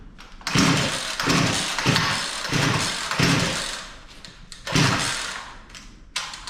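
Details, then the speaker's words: Poulan Pro P3416 34cc 16-inch gas chainsaw recovered from an abandoned building, new Champion plug, choke in: fires in short surging bursts that sag and die, never holding revs; bogging, owner suspects too much fuel, adjusting carb screw. "well it wants to run i think it's actually getting a little too much fuel here so right here we're going to turn that hyper screw in just seems to be getting choked out let's try that"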